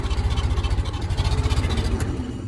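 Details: 1914 Ford Model T modified with an added electric starter, running on magneto and then shut off: steady, low chugging firing pulses thin out and fade as the ignition is switched off; normal shutdown.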